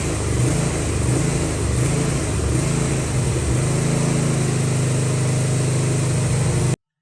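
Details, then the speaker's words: Briggs & Stratton V-twin with Nikki carburetor: engine speed swells and sags about every second, surge mostly clearing when choke is applied. "as you can see this briggs and stratton v twin has a bad surging problem also as you can see when i turn on the choke the surging problem clears up for the most part"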